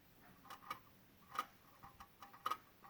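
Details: 2016 Honda Odyssey, engine off: faint irregular light ticks roughly once a second from near the PCM and VSA control module, with Engine, VSA, LDW and FCW warning lights on; intermittent electrical clicking, cause unknown.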